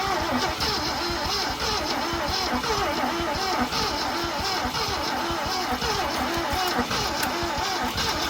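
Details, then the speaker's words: 1966 Ford Ranch Wagon ambulance V8, long abandoned, weak battery: starter churns in slow uneven rhythm but engine never fires; spark confirmed present, cause not found, carb cleaner considered. "Why is it not trying now? What is going on? Did we lose spark or something?"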